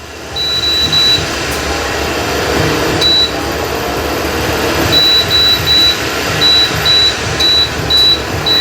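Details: Induction/infrared cooker: short high beeps in rapid bursts over the fan hiss as temperature and function keys are pressed quickly; rapid repeated key beeps, which may damage the cooker or its sensor.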